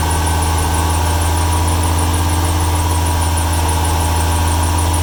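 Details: 1995 Ford 300 inline-six with over 400k miles, misfiring: a high chirping squeal pulses about three times a second over a steady idle. It is a slipping drive belt, likely damp after rain the day before or that morning. Cause suspected, not confirmed.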